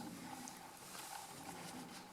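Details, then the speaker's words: Portuguese wood heater, January 2021: a thin hollow howl rises and falls with wind gusts over soft rustle, whistling through the door glass seal, which leaked after the window was removed to paint the door. Holding the glass stops it; new fiberglass seal strip planned. "hold this here, the howling stops. I don't know if the howling can be heard on camera."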